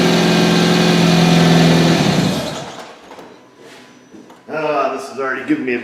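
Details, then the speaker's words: 2007 Hyundai Tucson with a P0102 MAF circuit low code and check engine light: the engine fires and idles with a rough, regular puffing beat of about three per second; an exhaust leak, suspected broken flex pipe, not confirmed. "taste in my mouth because you guys hear it I hear it sounds like it's got a broken flex pipe 99% chance we are gonna get a check engine light"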